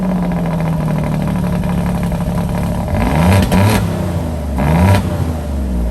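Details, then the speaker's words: Alfa Romeo Giulia Quadrifoglio cold start before installing Ideal Race carbon fiber intake, switched into race mode: deep steady high idle with two sharp throttle blips rising and settling cleanly; healthy engine. "car starts up it never starts in race mode so i flipped it over threw it into race mode so you can kind of hear it"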